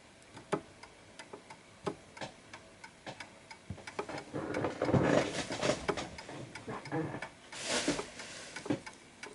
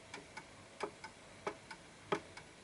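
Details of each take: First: Antique Westminster-chime pendulum clock with silent function, repositioned on its surface until level: steady, evenly spaced tick-tock in beat, with some handling noise midway. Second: Antique Westminster chime pendulum clock ticking unevenly, out of beat, as the case is shifted right to adjust for the surface's level; close tick pairs with long gaps, not a perfect tick.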